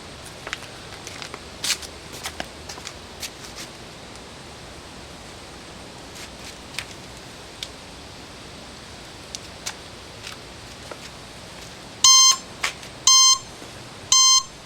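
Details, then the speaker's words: 1972 Honda CB750 K2 parts bike, 14,061 miles: three clean high beeps about a second apart over quiet background; alarm beeper, blinkers and lights all work normally. "The blinkers and all the alarm stuff still works. Headlights, taillights, everything works on the bike."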